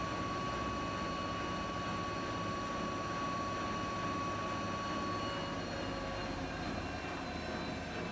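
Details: Siemens iQ300 8 kg 1000 rpm washing machine near the end of its spin program, wet laundry load, extra rinse off, about 1000 rpm: even high-speed whoosh with faint steady whine, no thumping, grinding or rumble; normal spin.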